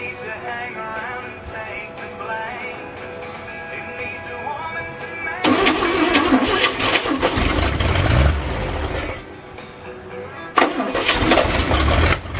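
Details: 1962 Chevy K20 truck engine after cylinder head rebuild with lapped valves and a new exhaust valve, first start attempt: quick, light, uneven cranking bursts that struggle to catch because of low compression; starting fluid used.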